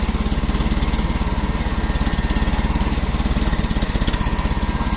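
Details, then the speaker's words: Old carbureted engine (nicknamed snow chooch) started in freezing winter cold after blowing hot air from a heat gun into the carburetor to aid fuel vaporization. Even, regular thumping at about 3.5 pulses a second, no misses or knocks. Now runs much better, smoothly. "runs so much better"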